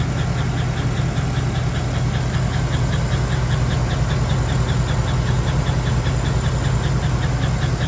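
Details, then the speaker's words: 2011 Chevy Silverado quad cab 4x4, 5.3 LC9 V8, sold cheap for a loud noise, oil pressure gauge reading zero: steady idle with a sharp, even tick around 2.5 per second riding on top. Suspected lifter tap. "the story behind this vehicle I picked it up pretty cheap because the owner wanted to get rid of it making a loud ass noise"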